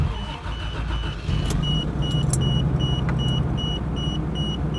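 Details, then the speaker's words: 1991 Toyota Land Cruiser 3FE engine, warm, after valve adjustment, new intake boot and tightened alternator: catches quickly, settles into smooth even high idle without the previous rattle, chime beeping in background; normal start-up and idle. "nope sounds good from here high idle is looking good I am entirely happy with what we have here"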